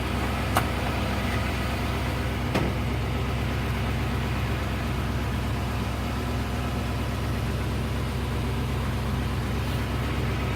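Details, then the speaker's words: 1989 Avanti convertible after replacing the temperature sending unit and idle control valve: steady, even idle with a smooth low rumble, no hunting or stumbling; the idle comes down and it no longer stalls, though which part fixed it is uncertain. "ladies and gentlemen I think with that success she is running the idols down she didn't conk out"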